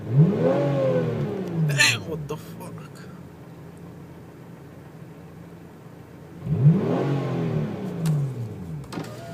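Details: Hyundai Tiburon revved twice: a thin whine that climbs and falls with engine speed. Source of the whine unclear.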